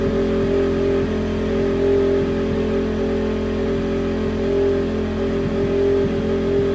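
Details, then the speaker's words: 2009 Honda CRF250R freshly rebuilt engine, zero hours, first start on first kick with choke on: crisp single-cylinder four-stroke holding an even steady note, no misses or knocks. Normal running. "Wow first kick guys and she started that is insane guys"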